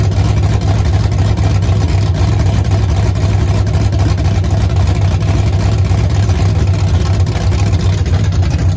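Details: LS-swapped Chevy C10 just after first start, untuned, unknown cam seemingly with lots of chop; deep loping idle with choppy uneven exhaust beat, otherwise running strong; lumpy cam idle.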